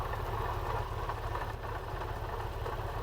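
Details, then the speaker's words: Classic car at idle, heard through a screwdriver held on the water pump body: a fast, uneven rattle, steady with the engine and felt as vibration in the handle. At first the intermediate shaft bearing was suspected, but it turned out to be a bad water pump bearing. "It's got quite a bad bearing on it, and first of all, we thought it was from the intermediate shaft bearing, but it turned out luckily it was from the water pump bearing."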